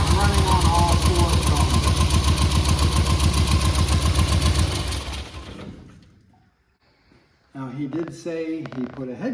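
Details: 1963 Austin Healey Sprite, head gasket recently replaced and head not fully torqued: lumpy idle, uneven beat about four pulses a second; one cylinder dead from a tight valve held open, not the carbs.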